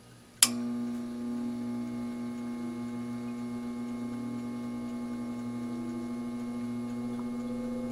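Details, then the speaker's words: All-metal solder fume extractor fan, dry bearing lubricated with 3-in-One oil, started on high: click at switch-on, then a smooth, steady hum slowly rising to speed with no scraping or ticking. "it takes a while to get up to speed but that's okay we'll crank it up a little"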